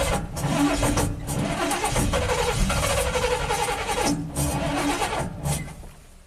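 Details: 1987 GMC Sierra V8 plow truck with throttle body injection: starter churns in uneven bursts but never catches; fuel pressure 6–7 psi dropping, below the 9–13 psi spec.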